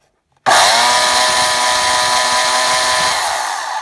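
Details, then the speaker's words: Portapower Hoover CH30000 commercial vacuum, six-year-old Ametek 122244 blower motor, starts with a harsh high-pitched roar and grinding; worn bearing, motor possibly wobbling inside and hitting; bearings to be replaced. "that definitely should be the bearing I think it I think the motor is wobbling inside it hitting it"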